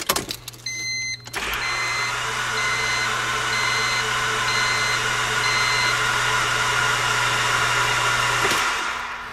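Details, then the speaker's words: 1999 Honda Civic remanufactured engine on a battery charger, cranked with spark plugs out, injectors and distributor disconnected to build oil pressure before first start: smooth, even starter whir for about seven seconds, no firing; normal cranking. "I want to burn out the starter so I'm not going to keep it cranking for too long but it's not really working that hard it's just turning the engine over so I don't think I'm gonna hurt it too much"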